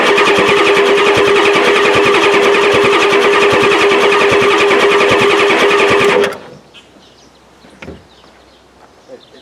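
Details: 1993 Ford F-250 7.3L IDI diesel with new injectors, fuel lines not yet fixed, new battery ends: steady fast starter cranking, never fires — extended crank no-start; owner suspects injection pump severely out of time.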